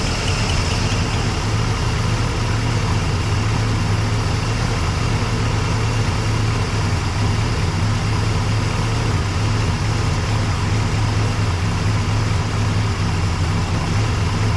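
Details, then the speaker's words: 1961 Cadillac engine, carburetor just dialed in, at slow idle: low, even idle with steady beat, no misses or knocks, slight chirp, tiny bit of smoke; listened with rubber hose, nothing concerning; normal idle. "listen to that ladies and gents that's pretty insane uh little tiny bit of smoke coming out of it it's got that little chirk I took a piece of rubber hose and kind of listened around didn't hear anything thing of concern"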